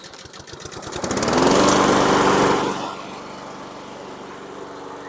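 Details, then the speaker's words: 2017 Husqvarna LC 221RH self-propelled mower with a Honda GCV160 160cc engine, bought non-running because of a dead recoil starter, now fixed: a few quick pulses as it catches, then a strong, even run settling to a steady hum. "So that's what it was. Dead recoil is what did it in."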